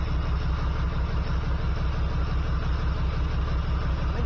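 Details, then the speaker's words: 1979 GMC C15 with an LS swap, code P0300: low idle thump stumbling at a regular rate. Pulling plug wires, cylinder one gives no change and its wire arcs, so the owner believes the number one injector is bad; misfire. "It's the number one cylinder. It's arcing, so my injector must be bad."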